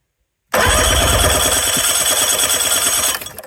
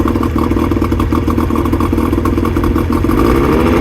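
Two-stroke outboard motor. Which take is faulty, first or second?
second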